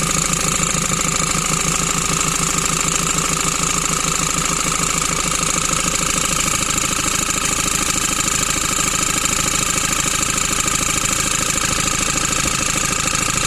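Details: 2008 Ford Transit Mk7 2.4 Puma diesel: regular knock about three per second at idle, at the front of the engine, from a bad crankshaft pulley, not the AC compressor; alternator pulley also bad and probably ruined it.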